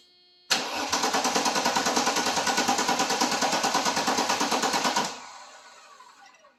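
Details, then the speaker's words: Mercedes sitting unused for 12–13 years: steady cranking at about three turns a second with even compression pulses, never catching. Spark was later confirmed good, and the Bosch fuel injection is suspected; crank no start. "So, she sounds like she wants to run like she's got compression, but we have to figure out why what where our issue is here."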